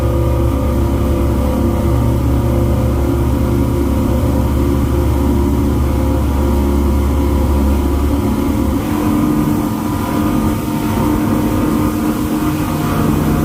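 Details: Twin Yamaha V8 outboards on a Pursuit 345 Offshore accelerating hard after a no-wake zone on a sea trial: a deep, steady roar that smooths out as speed builds, with no misses or knocks; normal acceleration.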